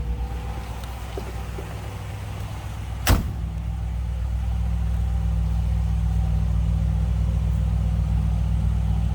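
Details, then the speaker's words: 1957 Ford Fairlane 500 Skyliner retractable convertible with 292 V8, idling in neutral, heard from behind the car: smooth, even low rumble from the tailpipe, no misfire or ticking, no loud exhaust, just a slight rumble; normal healthy idle. "sounding car. No crazy exhaust, anything like that. Just a slight rumble."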